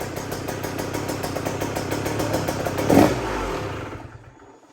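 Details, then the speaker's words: 2023 KTM 125/250/300 SX two-stroke on the white map, started right after the power valve reset to verify it: a crisp two-stroke buzz fires up and revs cleanly for a few seconds before easing off; it starts and runs normally. "So what I usually do at this point is just physically start the bike to make sure that it is okay."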